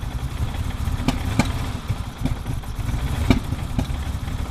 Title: 1987 E30 325is cold start misfiring